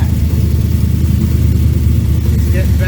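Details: 1973 Corvette V8 with newly installed Sniper system, just restarted after cycling, coolant still holding air bubbles: steady, even low rumble with a smooth regular beat and no misses or stumbles; normal clean idle.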